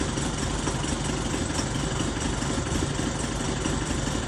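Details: Diesel idling roughly with an uneven, lumpy clatter and no steady beat, checked with Tech2; engine reported surging, though surge is not obvious in this short stretch.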